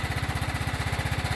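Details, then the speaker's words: Used Kohler engine swapped into riding lawnmower replacing blown Briggs & Stratton, first run: even steady chuffing, no knock or miss; normal running, surging appeared later with deck on, suspected filter. "There's no knocking."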